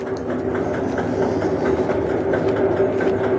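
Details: Samsung automatic washing machine during spin: rapid clattering knocks, about four a second, over a steady hum; cleaning won't cure it, worn clutch assembly/gearbox underneath is replaced with a new one.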